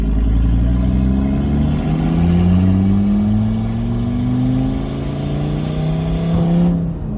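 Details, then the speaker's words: Audi RS3 with a big turbo and welded differential on its first drive with the welded differential: it pulls hard with rising turbo whistle, then boost suddenly drops as a charge-pipe hose pops off under acceleration, suspected at the joint between aluminium and original plastic piping. "ouais bah clairement ça a démanchonné très vite ça va être plutôt facile à trouver je pense"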